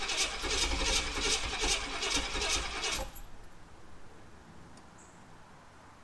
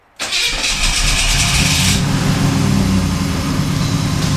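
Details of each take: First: 1991 Pontiac Trans Am 305 TPI that would not start after its throttle body stuck open, with fuel pressure holding about 40, cranks steadily and fast for about three seconds without firing; the cause was ignition timing off from a misaligned distributor rotor. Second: 1991 Pontiac Trans Am 305 TPI, after a no-start caused by the distributor rotor coming loose and turning 90 degrees: rotor refitted, cap replaced. Brief crank, then it catches at once and settles into a steady, even idle, a clean normal start.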